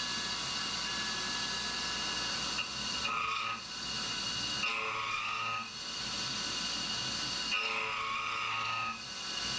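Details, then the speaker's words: CNC roughing of an AR15 gas block with an end mill at 1900 rpm (speed override): a thin high squeal over the cutting hiss swells each pass, mild chatter; 2125 rpm would chatter more, 1700 rpm was better. "but uh it's still a bit chattery so 2125 would certainly be more chattery"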